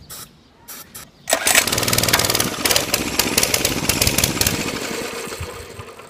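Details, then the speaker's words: Mini-bike small engine after 6 years sitting, new gas, good spark plug, sprayed with starting fluid: irregular sputtering bursts of firing for a few seconds that fade and die; catches but won't keep running. Owner suspects old fuel; plans air filter cleaning. "sponsored by motor medic thrust starting fluid for gas and diesel engines oh it's almost there it wants to live so bad"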